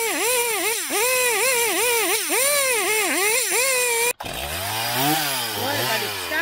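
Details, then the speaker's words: Chainsaw two-stroke after a crankshaft rebuild, just started: buzzes fast and surges rather than settling low; idle sits a little high because the rebuilt crank turns stiffly, probably needing a few temperature cycles to seat the bearings. "yeah it's running it's idling it's idling a little high but that's because the crank turned so hard in idle it probably needs a few temperature cycles to get the bearings really seated"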